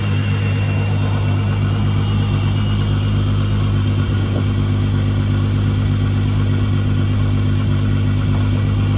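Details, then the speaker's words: Mk3 Jetta VR6 with fresh engine and rebuilt Vortech V9 supercharger kit, back after grenading the motor about two years ago, revving: strong, even low drone, no knocks or rattles; sounds healthy, nothing like before. "yeah sounds healthy uh don't sound anything like it that video that we did last time"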